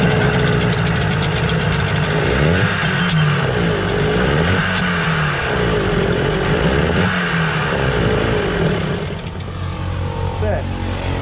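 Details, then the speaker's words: Suzuki 15 HP outboard, hard to start: runs with uneven pulsing beat and won't pick up at full throttle; dirty carburettor, carburettor removal planned, water ingress not yet ruled out; no throttle response. "que acontece ele tá todo acelerado acelerei todinho ele não quis funcionar aqui"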